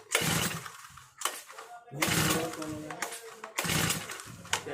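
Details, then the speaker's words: New four-stroke brush cutter with the choke lever up (choke on): three hard pulls on the starter rope, and the engine cranks but never fires or catches. It will not start on choke; next the choke lever is lowered and the top cover removed. "दोस्तों जैसा कि आपने देखा चौक में brush cutter start नहीं हो रहा है तो हम चौक लीवर को नीचे करेंगे और फिर से स्टार्ट करके देखेंगे यह ब्रश कटर मशीन में स्टार्टिंग का मूमेंट बिल्कुल भी नहीं है स्टार्ट नहीं हो रहा है"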